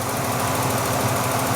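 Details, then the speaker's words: 1994 Ford Bronco XLT after a complete TTB steering upgrade: a smooth, quiet idle with no power steering whine, faint steady injector clicking audible, and the engine sounds healthy. "quiet as a church yes that is so crazy how much quieter it is compared to before no power steering wine at all I can hear the injectors clicking that's how quiet it is"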